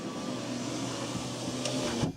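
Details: GM car with U1170 loss of serial data from driver door switch, passenger window commanded back up via scan tool bi-directional test: smooth steady motor whir about two seconds, soft thunk at top; window motor normal.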